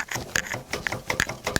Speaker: there's a little ball bearings in there they'll fall back and they'll slip right over your collar you'll hear like a clicking sound